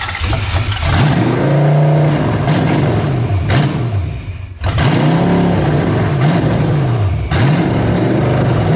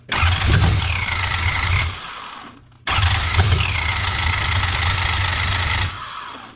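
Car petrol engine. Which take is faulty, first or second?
second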